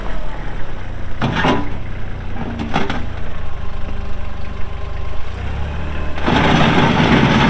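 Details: Kubota L3240 4WD tractor, pre-emissions 32 hp diesel, 94 hours, working its LA514 loader. A steady low diesel rumble with brief bursts as the loader works, running evenly; normal running.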